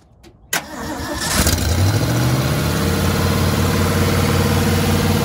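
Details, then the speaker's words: Freshly rebuilt carbureted "Frankenstein" truck engine after moving the idle control forward to bring the idle down: it cranks, catches within a second and settles into a smooth, steady, even low idle. The fix worked, and the smoke is residue burning off. "All right, so what did you do? Because whatever you did, fixed it. So I brought the idle down forward."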